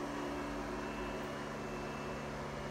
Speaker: Anyway, though, that box up there, with all those connected places, is making a lot of noise. The fan is, and I don't know if the fan is going out or if it always sounds like that.